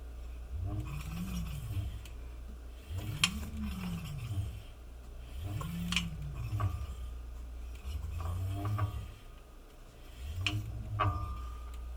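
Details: QS205 50H V3 hub motor on a Holmes MMP 17x1.6 rim with Shinko 241 tires. Deep buzzing and vibration, pitch rising and falling with short throttle bursts; cause unknown, separate from rotor/pad grinding.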